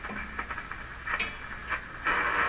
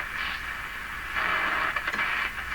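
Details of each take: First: Hallicrafters SX-122 receiver that previously received nothing on any band; the fault turned out to be the operator's own error. Tuning on the 4.8–12 MHz band near 12 MHz at full volume: hiss and crackle with brief station bursts, ending in a strong steady signal. Working again. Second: Hallicrafters SX-122 shortwave receiver tuned around 17 MHz: hiss and station audio broken by sharp, irregular pops and crackles; intermittent fault inside the set, cause not found.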